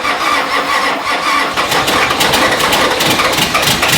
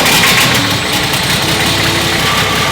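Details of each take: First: Nissan GQ Patrol diesel, cold first start after 3.5 years of storage, no coolant in the radiator: slow uneven cranking catches into a rough, clattery diesel run, firing building up as it starts. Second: Nissan GQ Patrol diesel running away after first start in 3.5 years, no coolant: loud, harsh clatter holding high and steady despite intake blocked and fuel disconnected; won't shut off, cause unknown.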